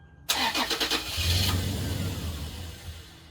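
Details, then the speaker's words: Toyota 4Runner crank no start, owner suspected the fuel pump: the starter spins the engine at a steady four beats a second and it never catches while the pump is heard running; likely just out of gas. "I can hear the pump run so I'm hoping it's just out of gas"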